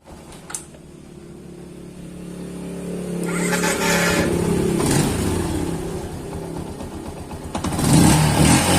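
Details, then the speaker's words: Yamaha Jupiter MX single-cylinder after engine rebuild with a cheap aftermarket piston, originally noisy and smoking white: revs up and settles evenly with throttle, no knocking or scraping, sounding very different and healthy. "kalian bisa mendengarnya sendiri, teman-teman. Suara mesinnya sangat berbeda."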